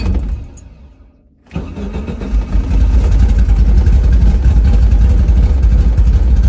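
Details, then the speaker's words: Bradley GT 2 kit car with carbureted engine, cold start, nearly empty of fuel: cranks and catches, then lumpy uneven idle with stumbles, misfiring badly; owner suspects it is only from being cold, not confirmed. "all she is [Music] cold sounds like she's misfiring pretty bad might just be because she's cold but the thing with the old carburetor carb ated cars like this is you got to let them warm up quite a bit before you start driving"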